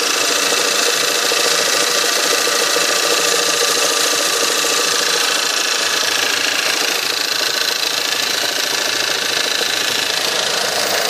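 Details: VW/Audi 1.8 TSI on a cold start. A quick, steady metallic ticking at about three per second rides over the idle: a cold-start knock from an unidentified source.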